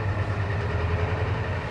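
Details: 1984 Ford F250 diesel idling after the vacuum pump repair restored the power brakes (brake warning light now off): steady, even low rumble with no knocks, misses or hiss; the engine is running healthy.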